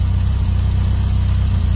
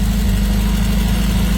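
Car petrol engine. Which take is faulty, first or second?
second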